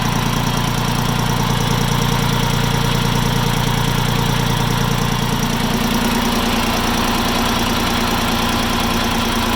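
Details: Farm Pro 2425 diesel tractor at idle: a steady, regular knock about three beats a second under the engine clatter, developing about 5-10 minutes after a cold start; cause still being sought.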